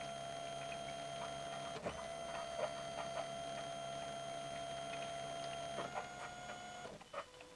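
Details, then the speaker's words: 2013 Ford Territory 2.7 L V6 turbo diesel, cycling the ignition to prime the fuel pump after a fuel filter change; high buzz runs, drops out and restarts with each key cycle, normal priming to purge air. "We might hear the sound of the fuel pump change as well. That would indicate that we've got rid of the air."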